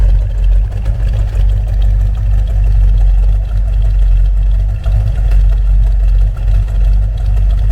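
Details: 1970 Dodge Challenger R/T, owner-built, just after a carburetor swap with a freshly rebuilt carb: deep, even V8 rumble at steady fast warm-up idle, no misses or knocks, running cleanly; normal cold idle.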